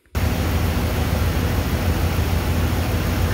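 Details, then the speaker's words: 2003 Dodge Ram 2500 5.7L V8 after automatic belt tensioner replacement, engine running: steady even engine and fan roar with no belt squeak or squeal; normal belt operation. "all right clearly that worked because there is no belt squeaking and you can hear it there is no belt squeaking do not stick your hand in there that fan will take off a finger as will the belt"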